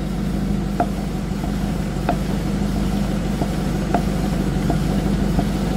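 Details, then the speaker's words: Ford Bronco on a test drive, in gear: engine drone with sharp irregular clicks about three a second, a knuckle-cracking noise from the front axle redone about 2 years ago; owner suspects a bad axle bearing, unconfirmed. "I wonder if that's a bad bearing in the axle. Hear that knuckle cracking sound? And these axles were redone maybe 2 years ago. That don't sound good."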